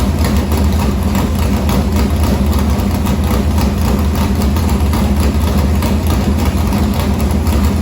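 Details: Morgan Machine-built open V8 (about 358 cu in) race engine in a Harris car, EQ heads, likely an Edelbrock Victor Jr two-barrel intake, started after sitting a week and a half to refill an unhooked fuel line: loud, deep, choppy race-cam idle, steady pulse, no ticking or knocking; normal idle.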